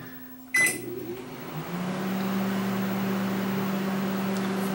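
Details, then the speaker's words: Panasonic inverter microwave heating water, run on direct power: door clunk, then the magnetron comes on with a steady low hum; normal operation; an earlier fault is suspected to be a fuse that failed from a power surge. "and sounds like the magnetron coming on so we may have just had a a fuse that failed due to a power surge or or something"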